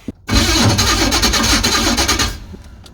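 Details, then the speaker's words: 1985 Chevy C10 383 stroker V8, first start after 10+ years: starter drags the engine over sluggishly for about two seconds without catching; slow, weak cranking, as before during the compression test. "this starter was already kind of weak sounding just when I did the compression test in the other video without any plugs in it so we'll see okay actually sounds about like it did actually"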